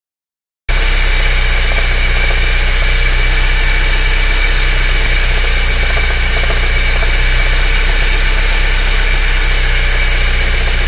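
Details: BMW 318is E30 engine at idle: steady low drone with an uneven pulsing roughly four times a second; abnormal engine noise, cause not clear.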